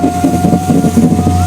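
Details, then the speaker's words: Chery Arrizo 8, about 2 years and 30,000 km, window rising: motor hum with dry repeated creaking crackle inside the door, one side quieter; regulator cable lacks grease, to be fixed by lubricating without replacing the assembly. "升的时候就嘎嘎嘎响，看到没？再搞一下。就门板里面嘎嘎响啊，那边也是有的，这边好一点，这边声音小点，看没有？就是这个升降器里面缺油了，把它拆开上点油就可以了，这个声音就可以解决了。"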